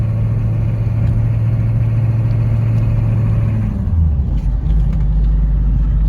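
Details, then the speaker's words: Land Rover Discovery converted to a 6.5 turbo diesel, running old Bosch injectors, with an automatic gearbox: the steady drone under load drops abruptly on a firm, slightly banging upshift. The owner notes hard downshift bangs too, possibly from low fluid due to a cooler-line leak; this is unconfirmed. "but it shifts it bangs a little bit but i'm working on that it shifts nice and firm you can hear the change in the engine"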